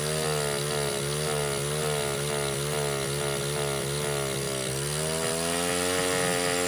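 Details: Baja 49cc mini bike with neglected carburetor under rebuild: high, buzzy note that never drops, only wavering slightly; engine hangs at high revs and won't idle, even with throttle screw fully out. Owner suspects intake air; cause unknown.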